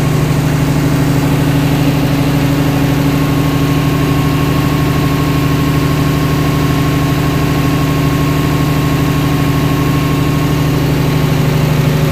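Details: DC-control diesel genset with an actuator replacing the solenoid, idling at start-up before the speed controller gets the MPU signal; steady, even low thrum near three beats per second, no knocks; normal idle.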